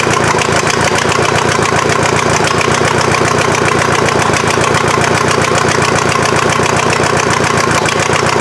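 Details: VW diesel engine swapped into Mazda off-road truck, first start, injection pump still needing adjustment, some smoke: steady diesel clatter at idle, about four pulses a second, fairly even, running without stumbling.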